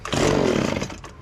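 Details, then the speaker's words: Echo PB1000 two-cycle leaf blower from a garage sale, primed with two-cycle gas poured into the motor. It fires, buzzes hard for under a second, then sags and dies. Owner thinks the carburetor is partly gummed up and needs fixing. "what's happening on this leaf blower, you shoot it and then it's collecting fuel from the actual tank. So that means it's partly gummed up where the carburetor will need some fixing."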